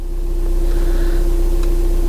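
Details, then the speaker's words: VW TDI diesel idling after new engine mount fitted, belly pan still off: smooth steady low drone, even tone, no shake or irregular beat. Basically no vibration in the car now, versus significant vibration before; the motor mount was probably the cause of the rough running. "I'm sure it doesn't translate at all onto the video there, but there's basically no vibration at all in the car now."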